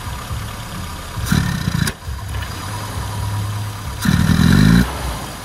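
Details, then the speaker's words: Rover Cabriolet with Mini Cooper A-series engine conversion and SU carburettor: lumpy uneven idle stumbling between two throttle blips; retarded ignition timing and empty dashpot, fixed by advancing timing and adding dashpot oil. "as you can hear that's not very happy so let's get that sorted out okay so the cab relay uh yeah interesting car uh just came in uh just rolled in like that and uh not enough timing and no oil in the dash pot that's all that needed"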